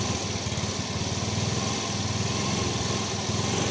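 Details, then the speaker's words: Yamaha Fino 125 scooter, idle rpm slightly high, with an uneven sputtering stumble and no clean pickup on light initial throttle; at worst it can't move off. Several shops failed to fix it. "Nah ini ya, tuh, seperti berbet gimana ya. Saat parah-parahnya ini ketika kita gas awal nih, motor ini sampai nggak bisa jalan,"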